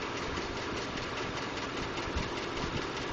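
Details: 2012 Ford F-150 5.0L at steady idle: light, uneven tick on top, roughly a hundred a minute; Ford diagnosed the ticking or knocking as normal but is working on a solution.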